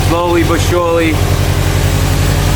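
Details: 2007 Subaru WRX STI, first cold start after fixing a pre-turbo leak and fitting a Perrin up-pipe, 2018 STI VF48 turbo, Invidia catless downpipe and Q300 exhaust: steady, even low rumble with none of the earlier puffing from the turbo side, a normal idle.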